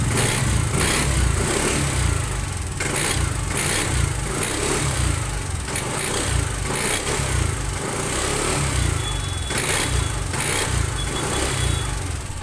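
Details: TVS Jupiter 125 BS6 scooter: loud, busy engine drone with rough, uneven mechanical clatter over the low hum, an abnormal engine noise whose source isn't identified.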